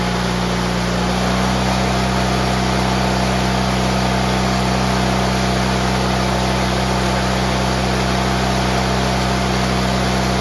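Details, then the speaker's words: GT18 garden tractor twin, carburetor refitted and repairs done, air cleaner still off: steady, even drone with constant low hum and no stumbling or surging; previously it flooded and chuffed smoke past half throttle once warm. "well that is about 110 billion 2715 better than it was before"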